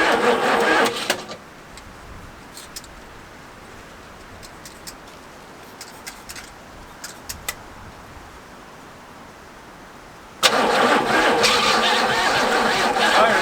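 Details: 1985 Oldsmobile Cutlass G-body 307 V8, first start in years after a distributor fix restored spark, fuel squirted down the carburetor: catches and roars for a second, dies, fires briefly again; running only on primed fuel.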